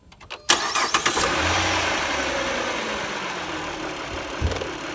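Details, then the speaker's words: 2010 (also called 2009) Dodge Journey 3.5L, 78,600 miles, with an intermittent tick suspected to be sludge. This is after an Amsoil engine flush and Amsoil XL 10W-30 oil change: it cranks, catches and settles into a smooth idle with no obvious tick. Normal idle, improvement yet to be confirmed. "it sounds pretty good i guess we'll we'll know in time whether we've really solved it or not but i think we may have done some improvement here"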